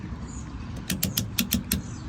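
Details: Van fuel cap after check engine light, mechanic said a loosely dropped-in cap causes it; cap turned down with about five crisp, evenly spaced ratchet clicks, properly tightened and seated.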